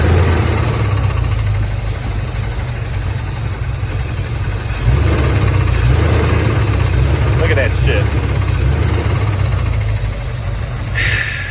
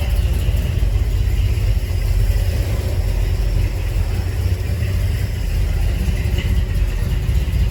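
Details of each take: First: 1983 Chevy Silverado V8, about 38,000 miles put on it by owner: rough heavy idle with an uneven low knock about three times a second, first suspected fuel pump rod (pump was leaking gas); cracked flexplate knock. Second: 1983 Chevy Silverado V8 after replacing a cracked flexplate that caused a knock near the torque converter: deep, steady rumble at idle and when revved with no knock or clatter; problem fixed.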